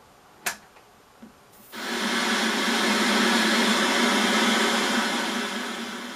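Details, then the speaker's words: 1980s Philips KT3 chassis vintage CRT TV, switched on at the mains for the first time. A click, then a buzzing rush swells and eases as the set powers up normally. The picture is very yellow, possibly from the blue output stage or a worn tube. "Well, that's a good start. How about that? Yeah, it's come on."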